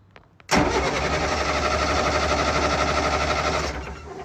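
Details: Large military diesel generator after its crank-switch voltage was adjusted toward 2–3 V: fast, steady starter churn for about three seconds with no catch. Still no start, and the batteries are weakening.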